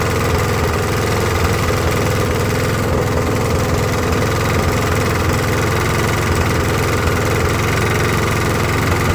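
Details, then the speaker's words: Briggs & Stratton push mower, about 20–25 years old, after carb clean, new carb gaskets and new head gasket: low, steady, labouring putter, still missing, never reaching governed speed; air filter box loose; cause not yet found. "Well, I can still hear it missing. Uh, it is a 20 25 year old push mower. I don't feel that it's coming fully up to RPMs."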